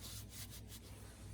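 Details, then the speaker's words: 24-year-old Generac 10000EXL generator, Briggs V-twin, unrun for 8 years, engine turned slowly by hand: faint repeated scraping; magnetos suspected to be lightly touching, to be re-gapped. "we might be touching a little. So that one especially looks close. So I'm going to re-gap these just to make sure."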